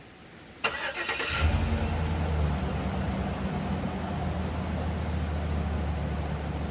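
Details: Van that stalled and would not restart in the backcountry, as if short of fuel, starting after a fuse is pushed back into the panel; it has an aftermarket high-output alternator. A short crank catches quickly, then settles into a steady, even idle with no misses.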